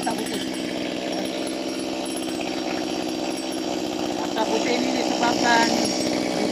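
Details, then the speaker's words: Chainsaw cold start after spark plug check: with the choke released to on, the wet engine block (heavy white smoke) is left to warm up without revving or braking, and holds a steady, even two-stroke buzz at idle with no surging; normal idle. "First thing, jangan rest dia, jangan rem dia. Dia bermain dulu, dia warm up, ya."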